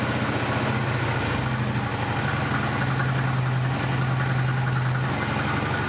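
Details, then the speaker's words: 2008 Harley-Davidson Road Glide after fuel filter replacement, maxi fuse reinstalled, before reassembly: steady, even V-twin idle with a constant low drone, no stumbles, knocks or surging; working correctly. "so everything uh appears to be working correctly"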